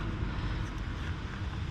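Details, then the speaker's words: 2010 Fiat Panda 4x4 1.2 8v petrol, bought as spares or repairs, at idle with the engine visibly shaking: lumpy uneven idle with irregular thumps. Misfire on cylinder 3, with a suspect loose lead and a tracking spark plug. "look how that baby is shaking it's shaking we are going to see if we can diagnose this misfire problem"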